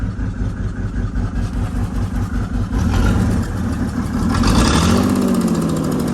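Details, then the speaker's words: 1996 Mercedes-Benz G300 with OM606 diesel, bought non-running, idles rough with an uneven, lumpy, stumbling beat after a crank position code; glow plug error code present, EGR clogging intake runners noted; cause unclear. "shut it off it is running a little rough I don't know what that means"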